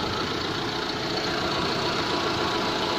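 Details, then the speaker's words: Proton Waja MMC automatic after TPS replacement and setting; the reading sits steady at 644.5. The engine idles with a steady, even hum, with no hunting or surging. Normal stable idle. "GPS okey, tak lari. Tapi kita sudah set dia sudah duduk sana diam-diam, stabil je 644.5."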